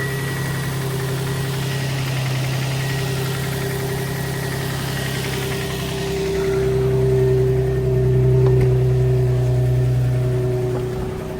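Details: 2003 Infiniti G35 coupe, low on gas, after key programmed with Autel KM100 to cure immobilizer no-start: steady regular idle about 3.5 pulses a second, no stumble or knock; running normally.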